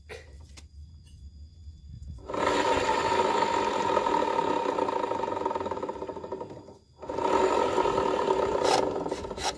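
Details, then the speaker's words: Honda Vario 110 LED scooter, rear wheel spun by hand: rough grinding "rok rok" growl, fading as it coasts; source traced to the CVT rear pulley, likely worn or damaged bearing. "Yang pasti untuk suara tadi itu sumbernya dari belakang sini"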